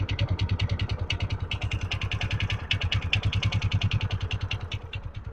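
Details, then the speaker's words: TVS Ntorq 125 BS6 scooter at idle with sharp regular knock about three per second, sounding like piston but not piston; loose one-way starter clutch nut knock. "दोस्तों आप लोग सुन सकते हैं इसमें आवाज बहुत खराब आ रहा है ठक ठक ठक ठक ठक ठक की आवाज आ रहा है ऐसा लग रहा है कि इसमें पिस्टन का आवाज है पर पिस्टन का आवाज नहीं है"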